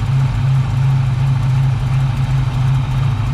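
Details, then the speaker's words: 1978 Pontiac Firebird with a swapped-in small-block V8 and small cam, exhaust fitted, firing on all cylinders with heat reaching the heater hoses. A steady, even low burble at idle with no skips or stumbles: normal V8 idle. "But It's pretty good. So good. Like it? Yeah. I'm pretty pleased."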